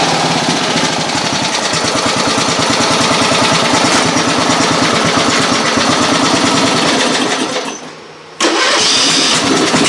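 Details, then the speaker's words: Riding mower engine, first run after build, nearly out of gas; catches and runs steady fast patter, brief dip then recovers; runs good, normal running. "So, needs gas, but she runs. Sounds good."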